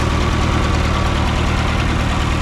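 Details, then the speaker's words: Massey Harris 30 tractor, running before its leaking fuel sediment bowl gasket was replaced: steady even low idle with a regular beat and no missing or knocking; healthy. "Pretty good little tractor here though."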